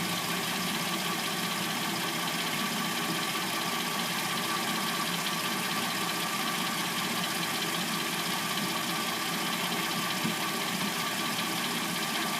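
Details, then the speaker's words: 2006-09 Hyundai Sonata with replacement engine, started cold after sitting overnight; a loose, uneven clatter over steady idle appears once warm, and the owner suspects the timing chain (unconfirmed). "Car hasn't been started all night, and we're going to hear what the car sounds like from start until when what I assume to be the timing chain, um, before it starts making its little clackety noise. can hear the timing chain noise."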